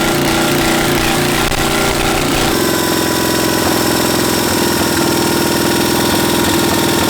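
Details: 700cc twin-cylinder military standard engine built 1987, long sitting, possibly never run, repeat start after spitting a mud dauber from the exhaust: loud rapid even chatter settles into a steady beat after a speed change; normal idle.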